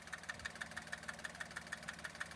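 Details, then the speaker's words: Maruti Suzuki S-Presso at idle with a sharp, regular ticking about six or seven a second from one spot in the engine bay; owner suspects a loose clip, with slight belt noise too; not confirmed. "तो guys जैसा कि आपने देखा कि वो जो clip है वो लूज़ हो चुका है आई थिंक उससे आवा आ रही है"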